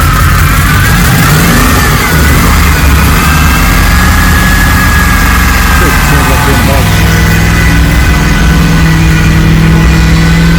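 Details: Rebuilt Holden VT Clubsport V8 on first start-up, base timing set, bigger injectors. Loud, lumpy idle with an uneven beat and occasional stumbles; suspected misfire, and owner suspects the cleaned, previously failed spark plugs. An injector was later found leaking.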